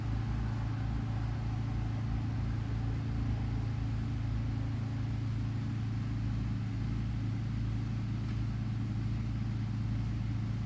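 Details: 2005 Lennox Elite air conditioner, switched on from inside: steady, deep, even hum with constant low drone, no rattles, squeals or clanks; starting and running normally.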